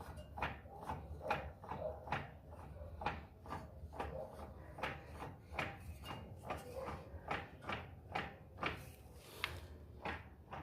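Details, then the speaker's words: 2005 Fiat Siena HLX 1.8, in first gear, right front wheel rocked by hand: sharp hollow clunks about twice a second at inner CV joint toward gearbox; owner unsure if play or normal; driveshaft play clunk suspected. "Não sei, não sei se é folga ou se isso aqui é normal. Ó, eu balanço com a mão aqui, né? Ó, e dá esse essa folga lá na homocinética que liga lá no câmbio, né?"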